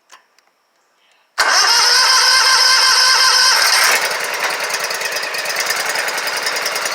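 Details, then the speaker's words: Scag Tiger Cat II zero-turn mower, Kawasaki FX691V twin, first start after bent pushrods, broken rocker holder on cylinder 2 and valve adjustment, choked, weak battery: catches right away, fast even beat then settles steady; sounds much better. "Oh yeah, I can already tell it sounded a lot better."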